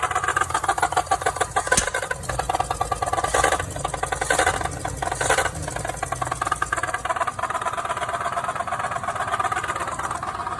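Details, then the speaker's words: 1969 Chevy 250 idling after head rebuild (seals and one bad valve replaced, compression 135–140 all cylinders): fast, even clacking locked to idle over engine drone; valve clatter stopped but new noise, owner thinks not a misfire, cause unknown. "hey guys need some help with that noise this is a 1969 Chevy 250. I just did a head rebuild replace the seals found a bad valve it doesn't sound like a misfire to me"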